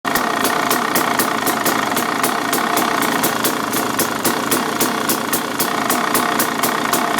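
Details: 2013 KTM 300 EXC two-stroke at idle: sharp steady metallic rattle about four knocks a second, softening slightly but not stopping with clutch pulled in; owner suspects the clutch, told it is normal.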